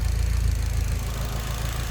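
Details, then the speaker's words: Idle on an SR20DET-powered Nissan 240SX S13: deep, lumpy, uneven idle, still bogging and running very rich (reads about 10). It stumbles from excess fuel, and many parts have already been replaced. "Okay, so after driving it, it's still bogging, still running stupid rich, 10, just super deep, just rich, rich, rich. Idle is super rich. Just that's it's like stumbling because it's just getting dosed with fuel."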